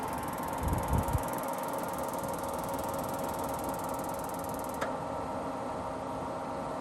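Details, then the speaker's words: 42-year-old Suburban NT24M furnace restarted after lockout reset: steady fan hum with fast even igniter ticking about four per second, no burner light-off; no gas reaching it, owner suspects gas valve clicking but stuck closed. "Well, there's no gas getting to it apparently. Now, there is a possibility that this valve, even though it's clicking, it's stuck still not let any gas through."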